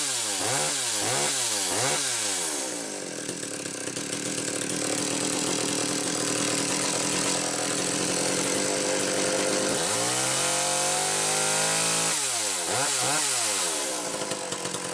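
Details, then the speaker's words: McCulloch Power 320 chainsaw test run after a pulse-line issue: revs up crisply in quick bursts, holds a steady high scream in the cut and drops back cleanly; normal running. "okay I want to get that resolved nun we'll come back and do a proper test run okay this'll probably look work a lot better"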